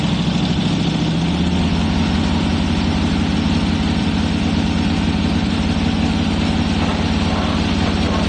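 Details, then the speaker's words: 1985 Camaro IROC-Z Z28 that sat 10+ years in a field, fresh gas and jump pack, rear not squirting: fires right up with steady, fast, even note and no dips; idle far too high, then dies. "And it actually sounds pretty good. Okay, now the exhaust comes out the back. Okay, it's idling really high."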